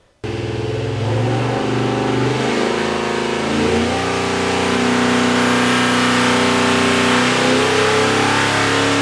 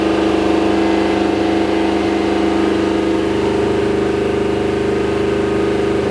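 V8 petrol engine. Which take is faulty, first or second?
second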